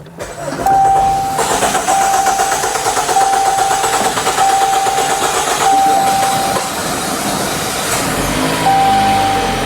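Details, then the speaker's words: Chrysler 200 (overheating and coolant leak repair), push-button start: dash chime pings repeatedly while starter churns several seconds before engine catches; unusually long crank-to-start, noted as odd. "That's odd. It took a little longer to start."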